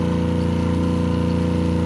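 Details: RV 12-volt water pump running after a priming line was installed: steady motor hum with an even buzzing pulse, no surging, drawing water and filling the hot water tank; building pressure normally.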